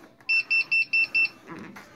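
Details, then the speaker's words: Bosch front-load washer with E13 code that won't drain: a rapid string of high, clean beeps as the P4 drain test starts; the locked-up drain pump only hums and does not run; pump probably to be replaced. "it beeps at you and starts the drain pump um you can't hear the drain pump running cuz it's locked up I can hear it humming"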